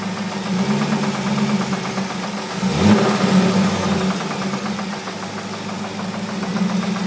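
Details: 2002 Corvette Z06 V8 idling with a light, fairly quick ticking knock that swells briefly with a blip; knock present, cause not evident.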